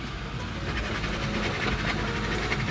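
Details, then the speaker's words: New car with welded differential (owner wants an LSD instead): rapid scrubbing tire chatter and hopping at low speed in a tight turn going down a parking spiral, the locked diff fighting the turn. "we gotta go down the spiral and my tires are gonna be screwing down the whole [ __ ] time oh my god okay i can feel the diff right now just crying bro"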